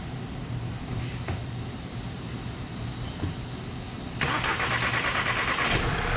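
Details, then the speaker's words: 2010 VW EOS 2.0L, hard start, black smoke, fuel smell: idle stumbles with an uneven low throb, about three irregular beats a second; misfire stays on cylinder three, a couple on two, after swap test. "nope Miss didn't move still on three although there was a couple on two"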